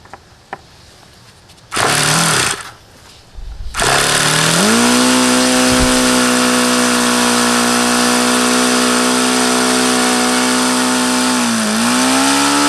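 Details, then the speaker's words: HP VT 21 rotary-valve four-stroke glow model engine, bought used, run about 25 times: steady high-pitched idle with brief dip, won't idle below about 4500 rpm and sounds rich regardless of leaning low-speed needle; owner suspects rich low end, unconfirmed. "why it won't idle down and why it sounds like no matter how much I lean that low speed out it doesn't change it always sounds crappy it won't idle below maybe 4500"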